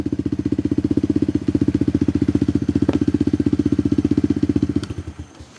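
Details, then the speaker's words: Tao Tao Coleman 125 ATV with new aftermarket silencer, engine still cold: quick, even single-cylinder put-put, revs raised slightly then settles smoothly back to idle and winds down; sounds healthy. "So, that sounds pretty good. I like that little that little silencer on there."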